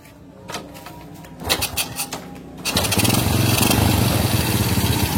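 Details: Honda Supra motorcycle after carburetor rework for not revving fully and slow return: after clicks and handling noise the engine picks up and runs strong and even, pulling cleanly; air screw still to be adjusted.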